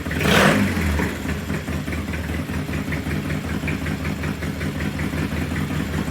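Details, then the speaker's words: Triumph T100 vintage British twin after repair: loud, lumpy but even beat at brisk idle, firing steadily with no knocks or misses; sounds good, possible smoking, to be judged after a few miles. "sounds good. Loud, sounds good. Yeah."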